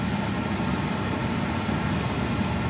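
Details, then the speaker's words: Tesla Model Y cabin with a newly installed Hansshow 7.2-inch rear climate display, rear fan speed turned up to high: loud steady rush of air with no rattle, tick or squeal; normal blower at high speed. "So it does adjust the fan speed, and now it's cranking. You can definitely hear it, but yeah, this thing's flying."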